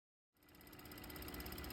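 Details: 2020 Mercedes-Benz GLS 450, over 50,000 miles, engine running with a fast, even loud ticking from the EVAP purge valve below the intake pipe; fix is replacing the purge valve.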